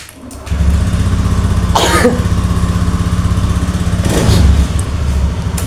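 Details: Honda Beat scooter after reseating the relay, whose socket pins were likely corroded and caused total electrical failure: steady, even putter of about four beats a second, briefly covered by a sneeze; runs normally.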